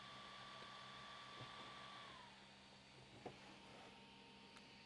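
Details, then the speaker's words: Creality Ender 3 Max, mostly stock with aluminum wheels, running but not printing: soft steady fan hiss with a faint high whine that drops away as the fans switch off. Normal cooling fan noise. "this printer is bone stock it's running right now not printing but it's running the fans are on"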